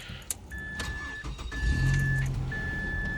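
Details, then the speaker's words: 2005 Mazda 3 with 2.3 liter Duratec, 122,000 miles: normal engine start, starter spins briefly and catches cleanly into an even idle while the door chime beeps and LED headlight fans run. "So anyhow, guys, you can hear the fans back there behind the lights going for the LEDs, and yeah, there's the 2.3 liter Duratec."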